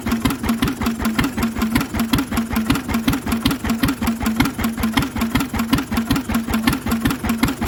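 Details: Lister engine on its first start in 40 years, on a little choke while the fuel needle is balanced: steady, even beat about 160 a minute with a noisy exhaust bark and no big-end knock; it runs smoothly and healthily.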